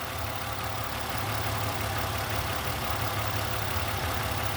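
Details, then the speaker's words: 2007 Mustang idling warm after an oil change: steady idle with a faint, fast light tapping on top; a slight lifter tick is still present. "you can still hear a little bit of the lips rattling"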